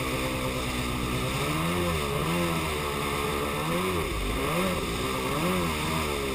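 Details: Yamaha Superjet two-stroke watercraft revs rise and sag with a blatty, uneven note, running rough as if down a cylinder; began after refuelling, persists with fresh gas, compression even; owner suspects plug wires or ignition, unconfirmed.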